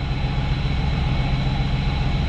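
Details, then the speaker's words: 1998 Chevrolet Camaro 3.8L V6 with a manual transmission, said to need a tune-up and smoking, smoothing out at higher revs: a low, lumpy idle with an uneven pulse, a rough idle with the cause not pinned down. "not gonna lie folks this thing really needs a tune up smooths out up here"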